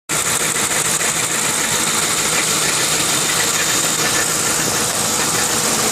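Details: 2002 Lincoln Town Car V8 at idle: fast, light knock about three a second that goes away when driving; owner suspected oil pump or bearings, but a failing driver's side catalytic converter was the cause and replacing it stopped the knock.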